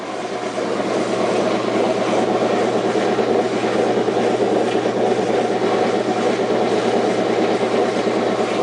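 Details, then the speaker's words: Washing machine on spin: steady low motor hum under an even rushing noise, no spin-up; motor is powered and trying, but the drum isn't turning, cause unknown. "See, it's not spinning. Why? I don't know. But it's not spinning."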